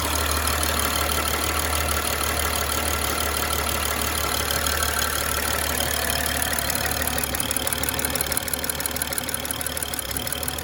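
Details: 2011 BMW X5 E70 with N55 engine, 109,000 mi, after fuel injector replacement with Bosch injectors for P0306 cylinder 6 misfire and surging idle: steady, even idle with light regular injector tick, no stumble or surging.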